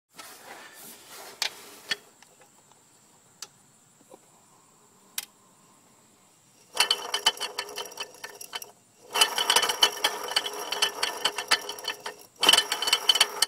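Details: 2004 Mercedes C240 AC compressor with belt off; scattered sharp clicks then long bursts of rapid metallic rattle with quiet gaps; suspected internal compressor failure, not confirmed.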